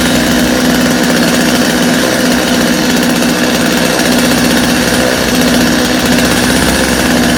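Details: Customer's Stihl chainsaw after reassembly, original Bosch spark plug, started from full choke; loud steady two-stroke buzz holding even speed without stumbling or dying; idle a little high but otherwise healthy, little carb adjustment needed.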